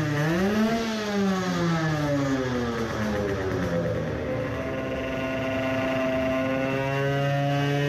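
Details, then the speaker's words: Two-stroke 50cc racing moped: sharp howl climbs, dips, then holds high even pitch without misfires; runs well, yet the dyno shows 10hp versus 10.8hp earlier with the same parts. "it sounded it was working pretty well then.. allright."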